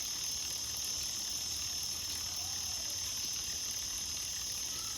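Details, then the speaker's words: Shimano Ultegra Di2 11-speed drivetrain after indexing with micro-adjustments: soft, even chain whir with no ticking, chatter or rubbing as the cranks turn; normal quiet drivetrain, gears running smoothly. "and I'm quite happy with that now that's running nice and smoothly"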